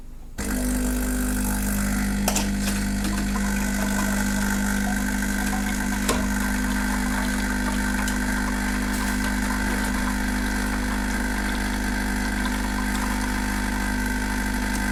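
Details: Saeco Vienna Trevi Chiara coffee machine, reassembled after its ground-coffee doser had been clicking nonstop at power-on: steady, even drone through the grind and brew cycle with no knocks or stalls; working normally.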